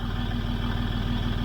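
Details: 2006 Land Rover Discovery 3 TDV6 2.7L diesel after a full rebuild, once a new crankshaft trigger wheel is fitted and no engine fault remains. Even, rapid firing pulses with a steady low throb and no misses: normal idle.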